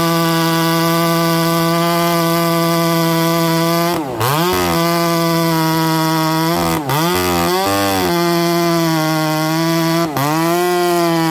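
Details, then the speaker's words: 288XP clone chainsaw, oiler turned up fully yet failing: high steady scream that bogs hard and drops in pitch each cut; dry chain going dull from oiler failure. "oh okay I'm sure you guys can see and hear it change starting to go dull Euler's not doing its job so I'm gonna dig through my spares and see if I have a good OEM Oiler and start from scratch again"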